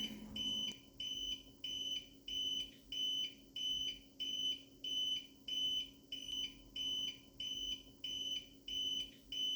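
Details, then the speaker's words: APC UPS Pro 550 with replacement Power Kingdom 12 V 7 Ah sealed lead-acid battery, drained under computer load to about 4%: steady high beeps about every 0.6 s. Normal low-battery warning. "And you can hear the beep. It sounds to notify you you've got a low battery."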